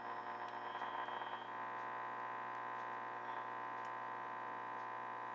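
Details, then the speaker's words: Crosley 635 Buccaneer radio after aligning all three bands, round antenna on A1–A2 with ground, tuned for local station 1450: only steady hiss, low hum and faint whistles, with slight change when adjusting the antenna; no stations received, cause unclear. "nothing. Well, you can hear some change made adjusting that antenna, but nothing'll pick it up. So, so that's my issue. I have it aligned as best as I can align it and I can't get any stations."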